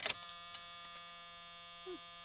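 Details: 1978 Oldsmobile Cutlass Calais 4-speed barn find that sat about 15–17 years, key on before cranking: a few light clicks, then a steady one-pitch warning buzz, so the buzzer works. The gauges have no power; a fuse is possibly at fault.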